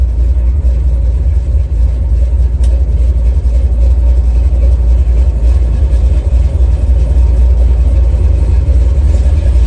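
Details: 1970 Chevy Nova big-block V8, after replacing the failed water outlet O-ring with a paper gasket and RTV to stop a coolant leak, run up to about 6200-6300 rpm in a burnout test; deep, heavy roar held steady, no knocks or misses, healthy high-rpm rev.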